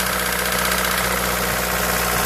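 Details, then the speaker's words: Toyota 1ZZ-FE small four-cylinder engine knocks steadily through idle just after starting; cause unknown. "в общем двигатель 181 визита это при заводке издает звук характерный не могу понять что это такое"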